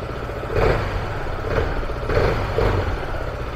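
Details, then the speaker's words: Scooter, cold engine at idle after servicing variator and clutch: low putter with slight pulse about every half second, belt not slipping, no clutch chatter; normal cold idle. "sağlıklı motor soğuk motor bu şekilde döner iyi bir şey yani kayışımı boşa dönmüyor"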